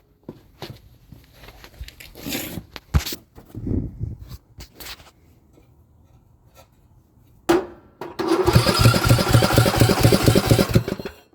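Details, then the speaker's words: Craftsman LT2000 riding mower, sat unused for years, spark plug in: loud rapid chuffing while cranking without starting; noise coming back through the intake, not the muffler; cause unknown, head gasket suspected but unconfirmed. "Sounds like it's coming from the intake. Alright, let's see if it's any louder now. Definitely. So that is definitely coming out of the intake. That's like really loud."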